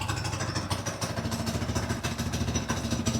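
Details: Redfox 200 two-seater off-road go-kart with choke off: single cylinder putters at a steady, even beat, idling cleanly with no misses. Normal idle.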